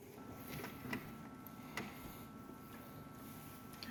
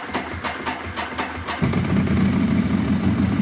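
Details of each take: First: Ducati 1198 with somewhat low battery voltage: faint isolated starter solenoid clicks, about three in four seconds, with no cranking. The engine won't turn over; rolling the bike forward sometimes helps it start. Cause suspected, not confirmed. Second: Ducati 1198 with an intermittent no-start and an old battery at 12.1 V: the starter churns in quick even pulses for about 1.5 seconds, then the twin catches first time on reassembly and settles into a steady idle.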